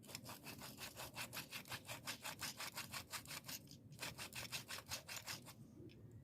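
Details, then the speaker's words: 2011 Jeep Wrangler clutch replacement: the old throwout bearing spun by hand gives a rough, rasping scrape in quick strokes, almost three a second, a worn bearing going out; the new one is silent. "This is how you know your bearings are going out in your little throwout bearing."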